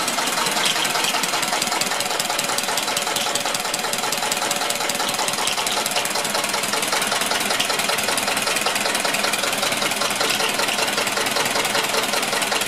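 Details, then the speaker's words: Rebuilt 1999 Metro Listeroid 6/1 single-cylinder diesel genset on test, loaded with two 1500 W space heaters (3000 W total); engine bogs as load is applied, then holds a slow, even thump with no misses or stray knocks; healthy. "We're gonna go over here and plug in these two space here. They're 1500 watts each. You can hear the engine bog down. So that's 1500 watts per space heater for 3000 watts total."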